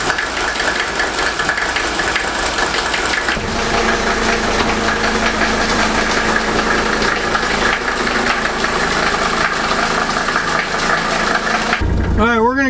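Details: 1983 Mercedes 300TD OM617 diesel after injector rebuild and glow plug replacement: steady, even diesel clatter settling into a smooth idle with no misses or knocks; rebuilt injector later found dry, running healthy.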